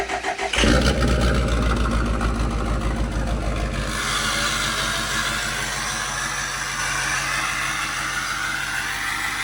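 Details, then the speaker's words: Overkill XJ off-road rig, front wheels off the ground: slow, labored cranking for a few seconds, then catches into rough idle; battery said to be dead, hard start. "Battery's dead though. It's sounds like it's gonna start. Try it again."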